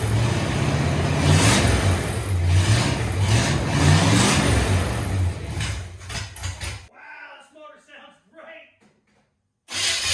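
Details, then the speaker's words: 1969 Chevy C10 V8 with fuel poured into the carburetor: catches and revs roughly a few seconds then dies once the fuel is gone; carburetor not delivering fuel. "powder sounds so good but the carburetor's junk it's not getting any gas at all"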